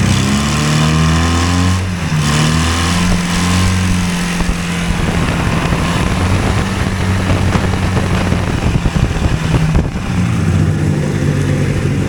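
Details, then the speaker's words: Hovercraft two-cylinder engine driving its shaft, pulling a load all the time, so left at high idle set with adjustment tool: steady, fairly fast drone from the small twin, even rumble underneath, never settling lower. "yeah they're noisy in there it's got a pretty high idle and I'm got to leave it at high idle because it doesn't uh it's pulling a load there all the time"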